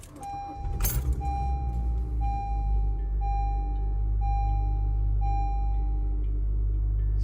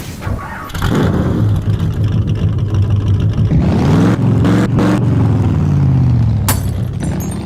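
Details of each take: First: 2014 Honda Civic after replacing ignition coils for P0302 cylinder 2 misfire and clearing codes: starts and settles to smooth even idle with steady chime ticking over it; no stumble, fixed. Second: 2014 Honda Civic running really rough in limp mode with code P0302 cylinder 2 misfire: engine catches and revs with uneven stumbling pulse and lumpy idle; cylinder misfire.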